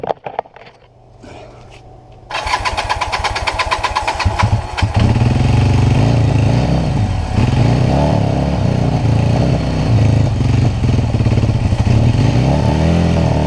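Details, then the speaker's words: Kawasaki LTD440 twin revival after carb cleaning and new plugs, weak spark earlier: quiet cranking, catches at about two seconds and settles into a steady, even idle with a clean twin-cylinder beat; normal start and idle. "and I did get to start again I started good so I'm gonna try that again and see if I can get it"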